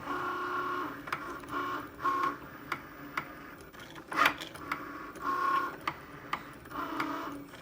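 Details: Brand-new Cricut Maker on first use, cutting a card: quiet motor whirring with sharp knocks at uneven intervals as the carriage moves back and forth; abnormal knocking, cause unknown.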